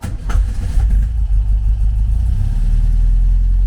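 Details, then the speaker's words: 1974 VW Beetle, 1915cc engine with MaxxECU EFI: after richening the lambda table, a quick rev blip then a low, steady idle with no hunting; stable idle. "the engine started to it stopped hunting and started to kind of stabilize."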